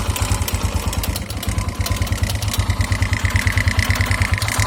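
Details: 2009 KTM EXC 450 single at idle, oil level checked: firing beats about three a second with a regular clack, owner suspects cam chain tensioner, plus a light irregular tick of unclear source that fades with throttle and sometimes stalls the engine.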